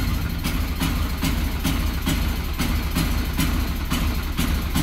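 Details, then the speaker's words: Yamaha XTZ 125 motorcycle, hard starting and misfiring, voltage regulator suspected; running on the old original regulator, the engine starts but runs unevenly with a low note pulsing about twice a second, cutting out instead of holding a smooth idle. "Ay mga boss, may start siya. Kaya lang pag ayan, putol-putol ang"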